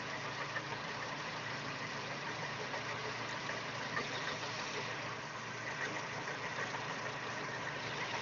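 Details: Daewoo Espero 2.0L at steady idle with a faint, uneven knocking over the engine note; extraneous knock inside the engine, origin unknown.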